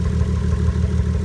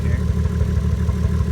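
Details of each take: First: Nissan 240SX S13 with 1JZ swap, pre-drive check after a temporary fix: deep, lumpy idle with an uneven pulse and slight stumble in the beat; rough idle, cause suspected, not confirmed. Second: Nissan 240SX S13 with a 1JZ engine swap, running before its first drive after a fix improved running: steady idle then several clean blips, pitch climbing and falling smoothly without hesitation, engine picking up and settling properly.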